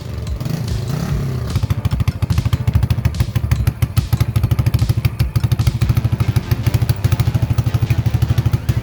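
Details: Vintage 1980 Yamaha SR250 single-cylinder motorcycle, bike pulled out of a shed and bump-started: crisp, regular thumping with an even beat and no misfires or rattles. It runs and goes through all the gears.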